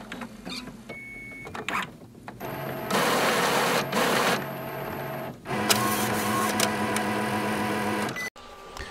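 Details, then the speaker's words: Epson printer powering off after the printhead lock (plastic piece stopping the carriage moving left) was released by power-cycling; a few clicks, bursts of motor whirring and a short buzz, then quiet; normal power-off carriage parking. "Đây là cách máy in tắt nguồn."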